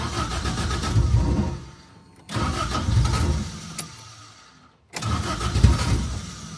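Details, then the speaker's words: Freshly rebuilt Toyota 4AGE (new head gasket) in a 1975 Corolla KE35 catches three times, runs a second or two roughly, then dies; won't hold idle, owner rules out idle screw, cause unknown. "That's an issue. Um, it's not going to be the idle screw cuz that's like quite out now."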